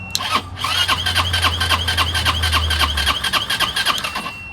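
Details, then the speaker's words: Chinese 150cc Moto Cooper Revo (CF Moto) scooter, hot-wired with ignition bypass, off the curb: starter whine with quick even chuffs, three to four a second; engine cranks but never fires. "awesome oh my God it cranks now we have to see if it starts"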